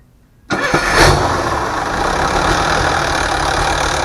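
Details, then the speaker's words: DT466 diesel loader engine after rebuild for knocking, test run: cranks briefly, catches within a second and settles into a steady, even idle with no knock or miss; running healthy, adjustments and valve cover still pending. "w it runs good uh so far we're going to do some other maybe adjustments and a few other things"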